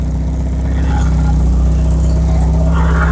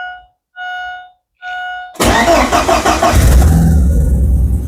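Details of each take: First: Stolen Porsche 944 that sat a year in the woods, first run after repairs: loud, rough, puffing idle from an exhaust leaking in many places, with joints apparently stuck together with putty. Oil pressure is good and the idle is otherwise good. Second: Porsche 944 stolen and dumped for a year in the woods, first start after reconnecting the engine signal wire to restore injector pulse: three warning chimes, quick crank, catches and revs cleanly then settles; normal start and rev.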